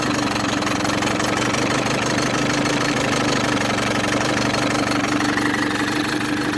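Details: Older, probably 1980s Mercury outboard with fiberglass hood, likely 9.8HP (7.5 or 9.8), new impeller and gear oil: smooth, constant buzzy two-stroke run at steady speed, no stumbling or knock; running well.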